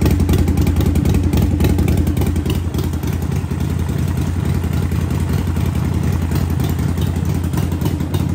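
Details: Harley Sportster run after its 5,000-mile (8,000 km) primary/gearbox oil change, to check for leaks: an even, lumpy V-twin idle with a steady low thump near three and a half beats a second, with no ticks or knocks. Healthy.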